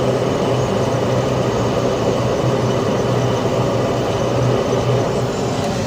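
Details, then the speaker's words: Carrier Infinity 96 (58MVB-080) condensing gas furnace with ECM blower on high heat stage, inducer spinning faster: even, steady roar with low hum, slightly louder than low stage, no rattles or surges; normal high-stage operation. "as you can probably hear it's a little bit latter on high heat but that's okay it's quiet most of the"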